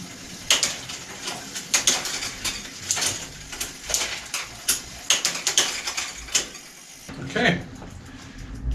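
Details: Bicycle with new replacement shift/brake combination lever fitted: crisp, evenly spaced clicks as the lever indexes through the gears, each shift landing cleanly; normal shifter ratchet operation.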